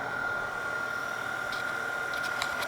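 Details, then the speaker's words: Denso 120A alternator with external regulator, off a Grand Cherokee, on a bench rig with the excitation turned up slowly to about 14 V: a steady high whine over a quiet rush at one even pitch, voltage tracking the excitation, normal charging. "so if I crank the excitation up slowly we can hear the sound is changing now we are about 14 volts"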